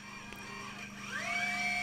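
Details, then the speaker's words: AquaRobotMan NEMO underwater ROV out of the water during setup, motors started from the iPad app compass: small thruster motors spin up to a rising high whine, then a steady tone, seeming to auto-level; normal operation. "And it does sound like it's trying to auto level. You can hear those guys spinning in there"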